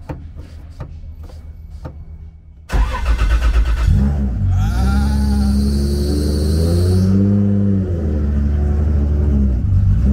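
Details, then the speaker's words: Toyota Supra 2JZ billet engine on FuelTech, after an earlier failed start and more start fuel added to the map: starter turns sluggishly at two or three beats a second, then it catches and revs; slow crank, possibly the battery. "To start it now it was just more fuel than needed Could have been the battery Because it was really slow"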